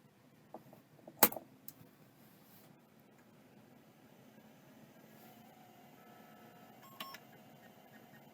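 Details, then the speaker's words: Tandon TM362 drive on a hard card, somewhat bashed in shipping, powered up: a click, a faint whine rising as the platters spin up, then a brief burst of head ticks. Passes its self-test on two tries. "that sounded like it have passed let's try that again yep that definitely passed all right well I'm pretty sure that that drive just works sweet"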